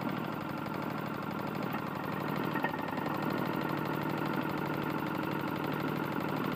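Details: Tecumseh single-cylinder lawn mower engine running steady with a dull knock on every revolution, from a worn connecting rod bearing.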